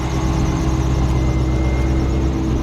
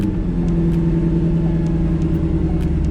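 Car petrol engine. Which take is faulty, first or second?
first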